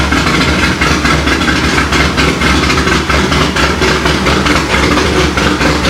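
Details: Corvette C6 Z06 first start after B3 cam and McLeod RXT twin-disc clutch install, with ported heads, FAST 102 intake, 65lb injectors, 1-7/8 headers, straight-pipe axle-back, E85 tune: loud V8 idle loping about once a second, steady, no tapping; healthy.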